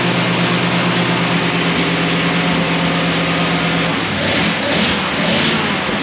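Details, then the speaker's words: 1937 Ford 59AB flathead V8, straight-pipe dual exhaust, recored radiator, just started cold: loud open-piped idle with steady even throb then clean quick rev blip, lumpy idle, owner unsure if cammed; oil pressure near 30; normal running. "oh that's a lot louder that is a lot louder than i thought it was going to be"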